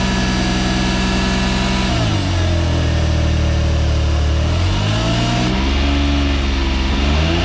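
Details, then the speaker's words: Suzuki AZ-1/Cara, F6A DOHC three-cylinder, after AC and alternator belt change: AC compressor on, revving up; old hissing/squeal gone but a faint whirring rising with revs remains, owner suspects a noisy AC compressor, unconfirmed. "it sounds a little bit better uh it doesn't have the other hissing noise but maybe the ac compressor mine mine's just a little bit noisy"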